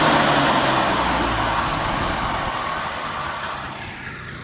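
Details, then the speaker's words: Subaru 360 Van two-stroke engine after cast aluminum piston rebuild, carburetor was gummed up: busy burble settling gradually to a low, steady idle without misses or knocks, idle a little too low; runs healthy. "It's gonna idle down. Yeah, that's what we want. It's actually got a little bit too low of an idle."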